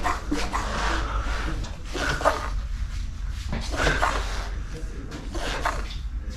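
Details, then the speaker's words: Fox Float X2 mountain bike rear shock, unserviced for about 1.5 years, gurgles and squelches wetly with each stroke from severe cavitation, air and oil mixed in the damper. "C'est même pas de l'air dans l'huile, c'est de l'huile dans l'air."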